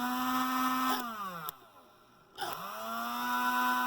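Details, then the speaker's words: Rivarossi Big Boy 4-8-8-4 HO steam locomotive, circa 1975, stopped on test run: high electric whine winds down, then races back up with no resistance; motor spinning unloaded, likely the drive rod has come off the motor. "i'd say that's the drive rod off the fix motor sounds like it's not even resisting anything"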